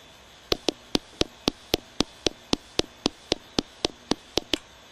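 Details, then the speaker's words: Headlamp sound demo with a circuit-driven high-tech light, which switches on and off very fast, thousands of times; sharp even clicks about two per second over quiet background, steady flash-mode pulsing. "You can hear above very, very fast. This thing's turning on and off. This thing's probably turning on and off, you know, thousands of [Music] times."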